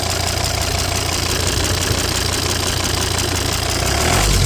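Diesel idling with an uneven popping knock, roughly three a second, over the clatter; source unclear, could be breather or lifters.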